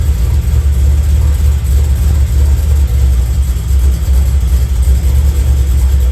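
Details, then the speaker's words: 1991 Camaro Z28 naturally aspirated 305 TPI V8 with FiTech injection: heavy uneven low rumble, won't rev past 2,000 rpm, running super rich; rough running, cause unknown. "And the car just sounds like shit. It won't go past 2,000 RPMs. It's just running super rich."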